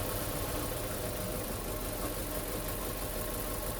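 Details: Hyundai Getz mk1 with lost power and two dead cylinders, idling while plug leads are pulled: removing cylinders 1 and 2 changes nothing despite spark, but the other side dips the idle; misfire, cause undetermined.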